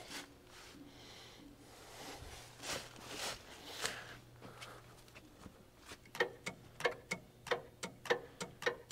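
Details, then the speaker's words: JLG 4x4 diesel man-lift after adding 15 gallons hydraulic fluid: uneven light sharp clicks over faint pump hum, platform-rotate solenoid cycling in and out; platform started moving once air purged from hydraulics. "yeah I can hear the solenoid kicking in and out for the platform rotate"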